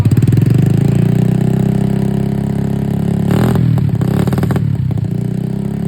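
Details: Small two-stroke ("50tinha", likely a 50cc motorcycle) buzzes steadily, then rough uneven bursts and clatter break through around mid-rev; abnormal engine noise, cause unclear.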